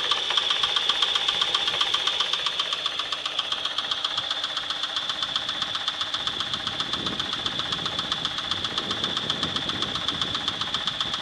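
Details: 1996 Chevrolet S10 2.2L I4 MPI, 4x2, 146,300 miles, at idle: sharp, even metallic knocking about four per second; cause unknown to owner, engine possibly not salvageable.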